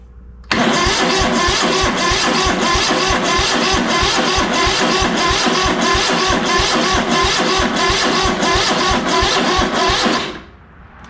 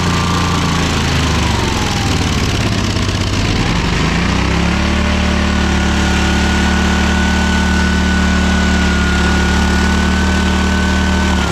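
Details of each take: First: ZT200 mower twin after ignition conversion, kill wire pulled, spark verified on both sides: starter churns at about three compression pulses a second but never fires; no fuel getting to the carb. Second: ZT200 mower twin after ignition conversion and carb parts, cold, on choke, run indoors: runs steadily, revs rise then settle back, slightly uneven while cold; otherwise sound running.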